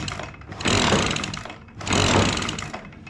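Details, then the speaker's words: Echo PB-265L two-stroke backpack blower running: uneven, two loud harsh rushing surges about a second apart; strange noise before it would not crank, owner wonders about a sheared flywheel key. Abnormal running noise. "you hear that weird noise that thing made a strange noise didn't it"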